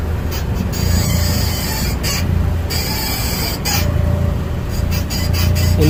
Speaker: it turns out to be the a dry ball joint and I had it before this time was my upper ball joint this time and then last time was my lower one it made the exact same noise